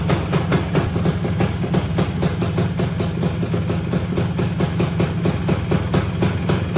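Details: 1974 Honda MT250 two-stroke, first start after rebuild with new OEM seals, head gasket, NOS piston and rings and honed cylinder, no chain fitted: crisp even popping about five beats a second, deep steady exhaust; running cleanly.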